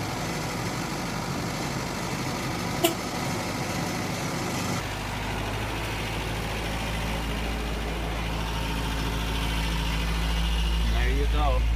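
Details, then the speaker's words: 1993 Toyota with 22RE inline four-cylinder, cold start in freezing Houston weather; timing chain replaced. The engine catches and settles into a steady, even idle with no ticks or knocks, running healthy. "it's got a 22 re 4cylinder engine it's in line we had to I got it for free had to replace the timing chain in it and the Sun is bad so we're going to do a cold start"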